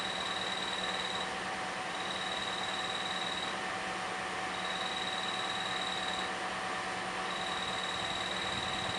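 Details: Bad clutch throwout bearing on a 2010 Toyota Corolla, idling in neutral: high-pitched chirp that comes and goes every couple of seconds, only with the clutch pedal fully released; bearing was later replaced.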